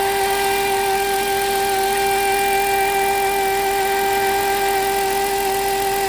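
Steady high whine holding one pitch over a smooth idle, with no knocks or rattles, the sound of a worn alternator bearing.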